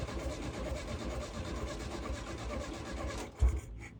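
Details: Volkswagen dune buggy air-cooled engine, abandoned long near the beach and badly rusted, restored with coil and lines reconnected, first fuel-up test: low, uneven rumble firing and running a few seconds before cutting out; it starts and runs.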